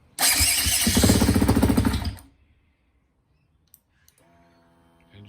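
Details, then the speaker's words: 2010 Husqvarna TE250 after replacing starter worm and wing gears to cure sluggish electric starting: starter spins the engine briskly and evenly for about two seconds, no grinding or slipping; problem fixed. "okay so this is the sound of the starter with the new worm and wing gear in a lot"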